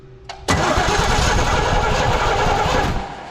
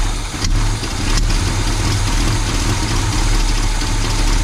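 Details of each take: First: 1984 Chevy C20 3/4-ton 2WD truck, revived after years in storage with a dead battery: even starter churning for about 2.5 seconds, never catches or fires. Cranks but no start, no spark; power to the distributor cap checked good. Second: 1984 Chevy C20 truck V8 revived after years in storage, distributor from a 1972 installed, no exhaust manifolds fitted: deep, steady rumble at an even idle with no misses, knocks or ticks; runs smoothly and healthy.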